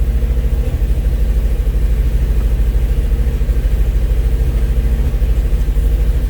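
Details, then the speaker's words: 1971 Alfa Romeo 1750 GTV, cold engine: even, steady idle, running relatively smooth and a touch high because cold, no knocking or ticking. Normal cold idle. "all right quieter but you can hear the engine it's uh it's running relatively smooth idle was a little bit high because the engine was cold"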